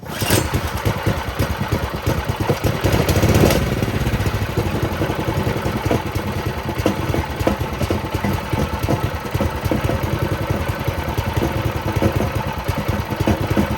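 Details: Doodle Bug mini bike, small single-cylinder engine after swap, first start with a small fuel leak: catches quickly, then settles into a steady, even putter with no misses; runs fine.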